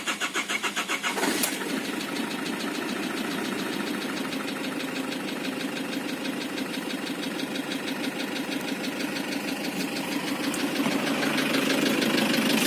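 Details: Isuzu Trooper diesel after start: hard, slightly uneven knock about three a second over the idle, with DTC 74 throttle position sensor stored; valvetrain or bottom-end knock, undetermined.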